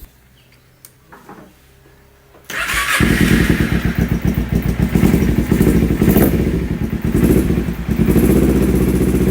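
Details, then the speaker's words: Kawasaki Ninja 250 twin-carburetor motorcycle with open air filter, idling then raising rpm gradually: rough idle with severe uneven vacuum surging and faint pinging, stepped response on opening throttle; carburetor problem suspected (hesitation, no top-end power, high fuel use). "Untuk bantingan vakum itu cukup parah ya, sudah mulai kedengaran serasa ngelitik gitu."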